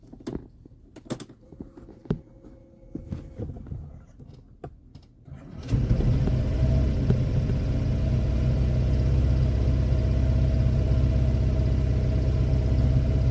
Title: PCX 125 Engin won't start